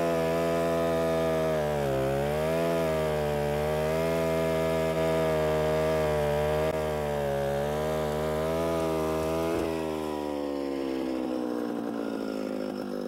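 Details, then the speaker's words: Alpine Magnum portable stump grinder trenching in wet soil: steady engine drone sags in pitch a few times as the cutter digs in, the motor bogging down under load. "if this happens to be a little bit on the wet side and so you can hear the motor bogging down a little bit"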